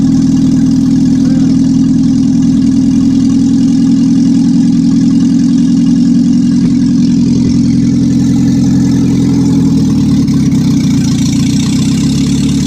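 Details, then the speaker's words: 1955 Morris Minor, engine and gearbox just installed after a half-finished restoration: loud, steady low drone at even idle with slight rev changes, no knocks or rattles; running normally, not yet driving. "So there we are, end of day one, and we've got a running Morris Minor, not driving yet."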